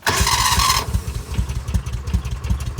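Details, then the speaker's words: Kawasaki Mule 610 in neutral with new replacement starter: brief starter whir then quick, even chuffs, strong fast cranking with no drag; old dying starter turned over slowly and sounded burnt. Normal starter cranking. "Let's just see how the new starter sounds. Oh, that is the fastest it's ever spun over."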